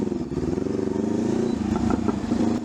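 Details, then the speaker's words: Honda CL500 with upgraded exhaust and high-flow air filter, before ECU remap: steady twin-cylinder drone after rolling off throttle from high rpm, with sharp pops and crackles from the exhaust, deceleration backfire. "So 'yung backfir kasi sa akin nangyayari 'ag nag-high RPM ako. T's nag-rollf ako ng throttle. So magkakaroon ng mga pops and banks sa exhaust ko."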